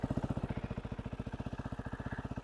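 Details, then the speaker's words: Used KTM 390 (Duke/RC 390 BS4), idling, heard close to the engine: even, steady thumping with no ticks, knocks or rattles; smooth, healthy idle with no engine noise. "ये देखो, सुन रहे हो कितना कितना smooth है, मतलब कोई इंजन में आवाज़ ही नहीं है, ठीक है?"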